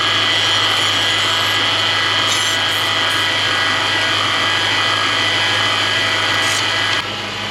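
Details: Toyota/Lexus 3UZ-FE V8 (LS430, Celsior, Crown Majesta); steady high whine with a quick, even ratcheting chatter at the front of the engine, traced with a stethoscope to a failing idler pulley bearing.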